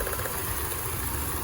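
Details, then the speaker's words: 2003 Mitsubishi Montero, claimed snapped timing belt but running: lumpy uneven low idle with stumbling beat; unplugging a connector makes it run worse, suspected misfire on cylinder number six, plugs and compression to check. "it starts to run worse so I wonder if I have a problem with number six"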